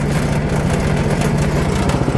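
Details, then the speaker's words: MTD 61 snow blower, second year of light use: rough heavy low rumble with uneven pulsing over running engine; owner attributes the loud rattle to the belt tensioner idler roller, quieter afterward, cause unconfirmed. "Это вот из-за этого валика натяжного, ролика вернее."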